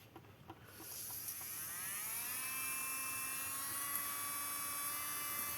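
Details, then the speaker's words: Nailmaster BQ202 nail drill, 220 V input, after replacing a leaking 2200 µF 25 V capacitor that caused intermittent operation: thin whine climbs as the motor spins up, then holds a smooth even tone, both directions, no cut-out. Normal run after repair. "Come potete sentire funziona tranquillamente sia in senso orario che in senso antiorario."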